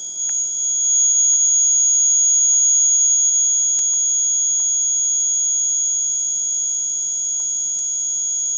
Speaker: It gets into your ears after a while. Again, the buzzer version is quite handy to have because you can go and plug that in the socket, right?